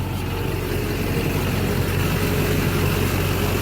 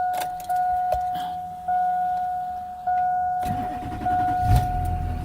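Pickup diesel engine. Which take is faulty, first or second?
second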